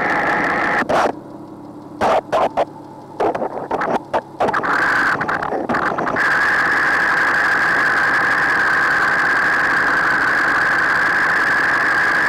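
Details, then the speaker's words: Porsche 986/987/996/997 flat-six at idle, listening at bank 2 cam cover: after handling noise, faint light ticking about three to four per second with thin whine; suspected scored bores. "So now we're going to listen to the bank 2 cam cover and let you understand what that noise is supposed to sound like if you have what we believe is scored bores."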